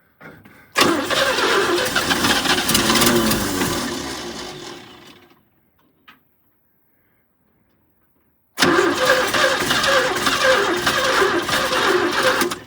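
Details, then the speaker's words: 1972 GMC tow truck 292 sat 22 years, running off the carb bowl with gas down the throat: cranks, catches briefly, runs a few seconds, dies, fires again unevenly; fuel starvation before fuel pump supply is turned on. "Boy, it wants gas. These 292s are probably thirsty."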